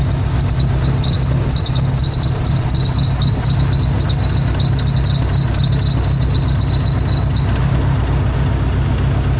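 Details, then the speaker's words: Dodge Neon SRT-4 at idle with P0304, cylinder 4 active misfire and no spark after a part swap; exhaust manifold suspected cracked: uneven, stumbling beat with a dropped pulse; one cylinder not firing. "it's still act like that stone is just not firing well"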